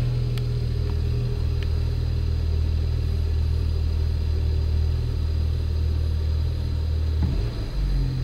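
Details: BMW N54 petrol engine idling with a steady, even low rumble and no misses after home-method intake valve carbon cleaning, less vibration than before; intake not fully reassembled, secondary air pumps running.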